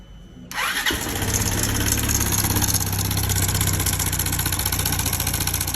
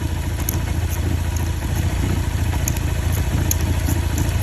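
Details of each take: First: Motorcycle with loud engine noise: starts, then a fast metallic rattle rides over the idle about three times a second; failed cam chain tensioner, fixed by replacing the cam chain. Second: Motorcycle engine that had a loud noise caused by the cam chain tensioner, after replacing the cam chain: steady, even low idle with a light regular tick and no rattle or clatter; engine running healthy.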